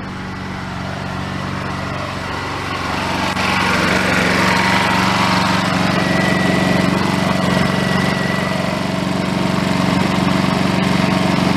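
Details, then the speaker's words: Honda EU2200i generator running during an hour meter install: very quiet, even hum like a vacuum cleaner, no surging or knocking; normal running. "It's so quiet. It's so quiet. I don't even hear it. Hardly. It's like a vacuum cleaner."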